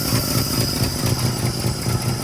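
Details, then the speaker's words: Truck with rebuilt Carter downdraft carburetor, just started at about 8 degrees outside with brief choke, choke now off: even, steady idle with regular soft exhaust pulses, no stumbling or hunting; holds idle on its own. "Kind of idling on her own."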